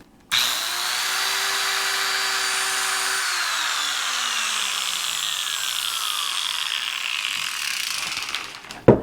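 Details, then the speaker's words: Angle grinder that quit after 30 seconds sharpening mower blades, first test run with cover off after repair and part replacement: high motor whine with rough rattle and some sparks, then coasting down; noisy but working. "I'm going to turn it on one more time. I know it's noisy."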